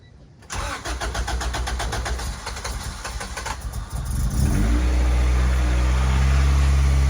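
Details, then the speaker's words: EG Honda Civic with a B20 engine swap and new header: it cranks and catches, then idles unevenly with a wavering beat despite idling fine the night before. Cause of the hesitation and rough idle not identified. "well unfortunately it still runs like it wasn't idling like this last night I was working fine"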